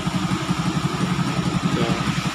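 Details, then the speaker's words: Honda XRM125 after top overhaul with single gasket (previously two) and slight porting for piston clearance, even smooth quiet idle, some smoke; normal idle. "Isang gasket lang nilagay natin, wala nang kawala. Tahimik na yung andan niya. Makagamit na to."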